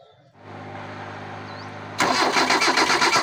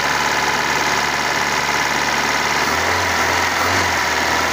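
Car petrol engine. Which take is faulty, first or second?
first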